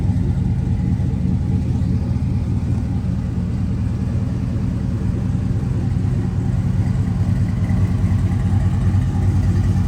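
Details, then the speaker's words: 1985 Chevy C10 Silverado, swapped 5.3L LS V8 with 4L60 automatic and dual exhaust exiting through side pipes, heard from outside. A deep, even idle rumble with no misfire or ticking: normal idle. "And it's got the pipes out the side there. Nice rumble to it."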